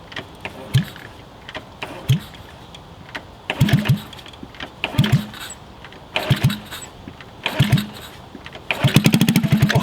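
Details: Honda CT70 mini bike found in a garage after sitting for years, rusty exhaust rotted in half, dirty oil, choke on, suspected air leak at carb: short cranking bursts with brief coughs before it fires; hard starting on first start in years.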